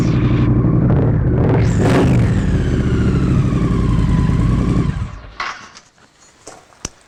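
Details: Triumph 900/1200cc water-cooled single-OHC twin (2016 on) test-started after a camshaft fitting: it fires, revs up crisply, settles to an even, steady run and shuts off. Clean, healthy engine note, no leaks.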